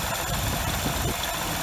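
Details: 2006 Hyundai Tiburon 2.7 V6, 6-speed manual, idle after replacing hydraulic lash adjusters, timing belt and water pump: even, steady low rumble, about 90% of the former ticking gone; owner suspects remaining faint sound is injectors and clutch throw-out bearing chatter.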